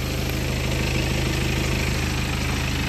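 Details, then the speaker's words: BMW diesel idling: steady clatter with a faint quick chirping tick; mechanics attribute the chirp to the timing chain guide and upper chain. Timing chain guide chirp. "auziți cum face? Chiț-chițul ăla este de la patină și lanțul de sus."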